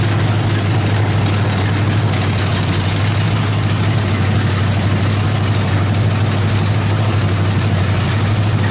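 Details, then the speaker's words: Freshly built Chevy 350 V8 with Thumper cam, open headers, valve adjustment while running: loud even idle with steady deep burble, no tapping or knocking; sounds healthy, timing may need slight adjustment. "yeah we sprayed a little bit of oil on the floor that sounds bitching uh probably going to need to set the timing just a little bit"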